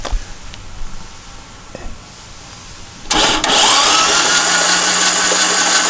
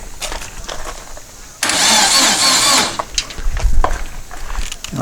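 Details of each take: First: Long-stored dune buggy/sand rail engine cranked by shorting the starter solenoid with a booster pack on the battery terminals (no battery fitted): fast, even starter whir for about six seconds, turns over freely, no water shooting from any cylinder, no hydraulic lock. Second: Long-stored dune buggy/sand rail, coil confirmed powered, fuel still turned off: about a second of starter cranking that never catches; the engine turns over but cannot run without fuel.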